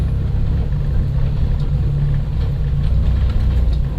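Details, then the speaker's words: 1991 Dodge Grand Caravan SE, warm, backing up in reverse: low heavy uneven lumpy engine drone; running rough again, cause not found; temp gauge intermittent, speedometer not working (owner suspects stripped speedo gear, unrelated). "Better not go far. It's running like crap again."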